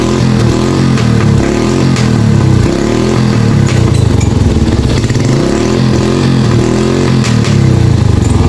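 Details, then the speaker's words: Yamaha YTX motorcycle whose carburetor took in water after riding through flood and rain, after draining the carburetor: engine picks up cleanly on each throttle blip and drops back smoothly, no bogging or stumble; it pulls fine again. "mga meron na siyang hatak so Ayan mga idol Ayos na"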